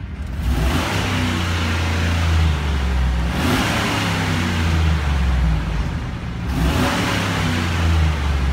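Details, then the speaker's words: 2011 Chevy Silverado K2500HD with an L96 6.0L Gen 4 V8 at 163K miles, fully warm, oil pressure about 30 lb, fuel cut-off around 4,000 RPM: a smooth idle with two quick, clean rev blips and no knock or tick. The engine is healthy and responsive. "nice resp responsive gen 46 L we've got here"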